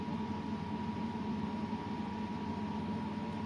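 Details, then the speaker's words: Ferroli double induction hob, cooling fan after a circuit mod raised its supply from 12 V to about 17 V. Steady airflow hiss with a faint constant hum, no rattle or wobble. Normal, even fan running. "mình đã độ cái mạch quạt cho nó quạt nó chạy nhanh hơn nhá đấy các bạn nghe nghe nghe tiếng gió"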